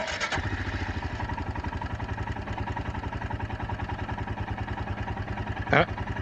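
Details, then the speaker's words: Royal Enfield Himalayan with stalling issues since its service, after swapping in new relays: it catches on the first try and settles into an even thumping idle with no stumble. A normal start and idle, though it later died when put in first. "let's see if it still starts up on one on on the first try I mean here we go"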